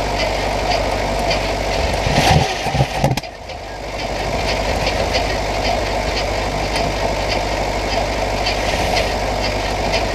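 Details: 1968 Buick Skylark Custom V8, abandoned since the 1980s, being revived. One spark plug wire had pulled out of the cap and the battery was charged from a booster truck. It idles with a slightly uneven beat and an early brief stumble, still rough but smoothing out.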